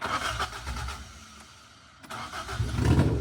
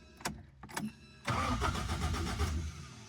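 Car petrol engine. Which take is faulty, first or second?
second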